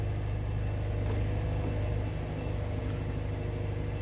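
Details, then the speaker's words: Wood-Mizer sawmill on first cut of red oak after replacing drive belt with correct one for different-tier motor: steady low engine hum, no belt slap, squeal or chirp; drive runs smoothly, normal running. "this is the first cut that we're gonna make after replacing that drive belt"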